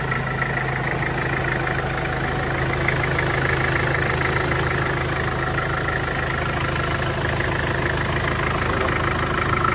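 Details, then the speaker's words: Mitsubishi Pajero Field Master diesel after replacing the timing chain and guide, plus valve guides, seals and oversize pistons: steady, even idle with smooth low beat and no rattle or clatter; now quiet; normal idle. "Right, kaya tahimik na siya mga boss. Kumandar. Okay na siya."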